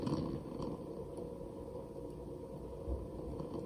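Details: New Barrow pump + CPU waterblock combo for AM4 at low pump speed: low buzzing purr with uneven fine rattle; sounds fine above 50% pump speed.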